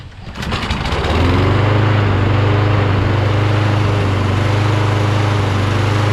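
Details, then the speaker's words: Toro Recycler XT675 Kohler mower after fixing governor/throttle linkage position (governor was too far forward) and throttle plate orientation: starts first pull, settles into a steady, even drone without stumbles or surging; running smooth. "smooth so now it runs smooth starts on the first pool um it was because the governor was too forward you know what i mean"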